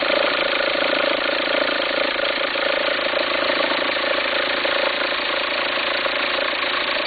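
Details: 2004 VW Passat 1.9 TDI diesel at idle: rough, uneven fluttering rumble pulsing about twice a second over the clatter. Belt appears to jump with the noise. Owner suspects a worn pulley and asks whether to replace the pulley or the alternator.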